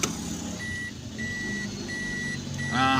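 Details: Toyota Aqua hybrid after clearing P0705 transmission range sensor fault caused by looseness: steady high reverse beep about every two-thirds of a second, four beeps over soft idle; reverse now recognised normally.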